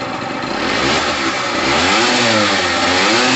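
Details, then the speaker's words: Pulse Force 50cc two-stroke scooter after new fuel line, petrol heavily mixed with two-stroke oil after sitting a while: crisp buzz climbing and dropping smoothly through blips, no bogging or stutter; normal running and revving. "all right guys that sounds amazing i've got a lot of two-stroke oil in there"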